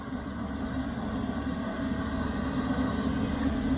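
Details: Portable diesel heater after cleaning (soot suspected, clogged atomizer screen likely the cause), glow plug off, drawing 0.5–0.6 A: constant low, hollow roar from the exhaust with no pulsing, popping or sputter; normal running.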